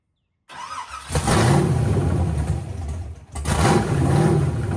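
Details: Over-40-year-old V8 with nitrous setup, possibly built with extra-clearance bearings, fires up and settles into a lumpy idle with blips; a faint rising-and-falling sweeping noise rides underneath on start-up, source unidentified.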